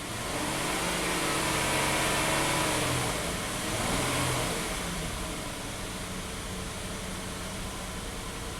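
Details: Hyundai about 3k miles after a camshaft phaser / sheared cam pin repair: lumpy, stumbling idle that shakes after start, with a hiss, blue smoke and a raw fuel smell; dead cylinder; P0087 low fuel rail pressure; a leaky injector is suspected.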